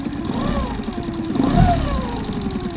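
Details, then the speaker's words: Boat engine after injector cleaning and replacement, now at operating temperature with automatic choke just off: throttle blips climb and fall cleanly over a steady low idle; responding better warm. "Yeah, it's responding a little better. It seems to be now that it's up to um up to operating temperature."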